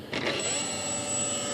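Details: Hobbyking Sunbird 1.6m glider after swapping to a bigger ESC, motor wires swapped to reverse direction: clean, steady high-pitched whine spinning up and holding speed evenly; motor and new ESC running healthy.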